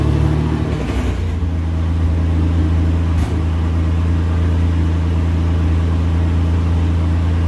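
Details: Ford F100 with a new MAP sensor fitted, first start: it catches after a short crank and settles into a steady, deep, even idle with no misses and no power steering pump whine, normal running.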